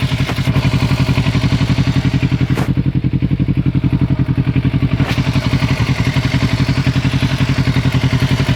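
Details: 2006 Kawasaki Ninja 650R at idle: sharp, even ticking about four per second from the top end, cause undetermined, owner unsure if normal.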